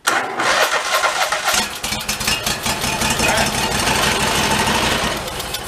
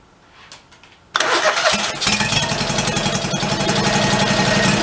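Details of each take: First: 1991 Craftsman GT garden tractor with a rodent-chewed air cleaner, cranked with fuel squirted into the intake: it catches and runs rough and uneven briefly; fuel starvation suspected, not confirmed. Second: 1991 Craftsman GT garden tractor, after fresh gas and priming: after a quiet second it fires straight up and settles into an even, steady idle with no stumbling; engine running normally.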